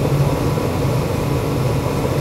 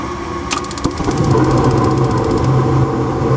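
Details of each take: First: Ruud GPN 75,000 BTU 80% gas furnace after adjusting manifold gas pressure to about 3.49–3.5 in. water column: constant low rumble and airflow hiss, no surging or popping; firing normally, reading fluctuates slightly. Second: Ruud GPN 75,000 BTU 80% gas furnace on test with manometer on gas valve outlet: inducer hum, pressure switch click, burners light into steady roar; manifold gas pressure reads 3.75 in. water column, slightly high, to be turned down at the set screw.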